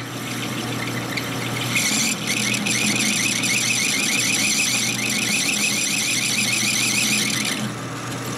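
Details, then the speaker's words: Lathe cutting a 1960s Harley XL Ironhead kicker gear ratchet part: a high, wavering squeal rises as soon as the cut starts. The carbide insert has no cutting edge left on one side and won't cut. "There is no more cutting edge on that one side. Alright. And it won't cut."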